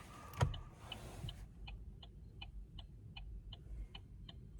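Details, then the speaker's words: Chevy Cruze: faint turn-signal indicator ticks spaced unevenly while the lamp blinks normally; irregular clicking, cause unknown, owner wonders about the battery. A separate rattle appears while driving but not at idle. "It was not evenly spaced. The light was blinking normal, but the indicator was click, click, click, click, click, click, click, click, click."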